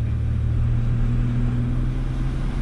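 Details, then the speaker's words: Ford Ranger test drive after new rear rotors and pads: only a steady low drive rumble while slowing, no squeal, scrape or grinding; brakes quiet, any noise would be e-brake parts. "I don't hear any noise, dude. No, that's a good thing. If you do, I guarantee it's gonna be from your e-brakes bouncing around in there. But I don't hear anything. It sounds good."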